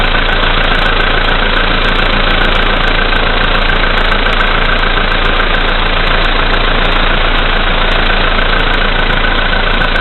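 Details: VW Polo Sedan, CFNA engine, 2222 km, cold start at -5°C after sitting overnight; oil three marks below max, about 90 L of Lukoil 98. Steady ticking knock, about four per second, over the engine hum at cold idle. Source unknown.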